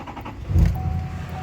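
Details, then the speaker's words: LML Duramax 2500 diesel, stock with no aftermarket turbo or intake, fresh oil and fuel filter change; short crank, firm catch, then smooth even idle with no knock or misfire, good oil pressure; normal start and idle. "So, works great. Sounds good. Good oil pressure. Everything looks great."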